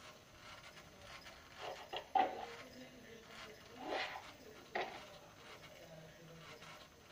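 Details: PlayStation 1 console: faint background with short scraping, rubbing bursts from the optical drive during disc read, started a few days ago, disc won't read and the console freezes.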